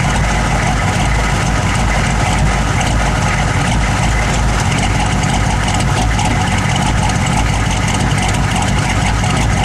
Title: 1009 rough idle